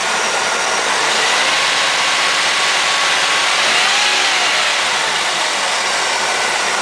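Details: Firebird LT1 V8, under 100,000 miles, just jump-started after sitting 6 months with weak battery: catches and settles into a steady, even idle with hissy exhaust note, no knocks or misses; normal idle.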